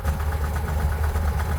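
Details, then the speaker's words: 1971 Jeepster Commando with Dauntless V6, running badly on a road trip: low, lumpy idle with irregular soft pops and thumps, no steady knock; owner believes it is popping back through the carburetor rather than piston slap or rod knock, not fixed yet. "yeah I've convinced myself that it's not piston slap it's not rod knock it's all just popping through the carburetor we haven't done anything about it we've tried but we haven't fixed it"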